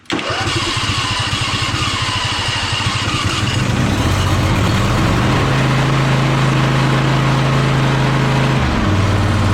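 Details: Toro zero-turn mower that had sat a while, tank water siphoned out and fresh premium fuel added, throttle full, choke up, after the no-start starter fix. Starter grinds briefly, catches within a second, settles to a steady idle: clean, healthy start.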